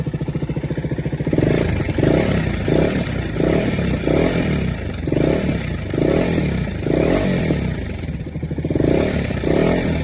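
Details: KTM Duke 250 BS6 engine running: rough metallic clatter in repeated bursts as it revs; abnormal engine noise, source unclear.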